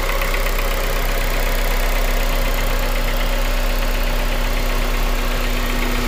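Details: 2001 Honda Civic DX with swapped JDM K20A, Kpro, 650cc injectors, about 7k miles since swap, idling: low, somewhat irregular knock around four per second besides injector tick, louder in cold, present since day one; cause unknown.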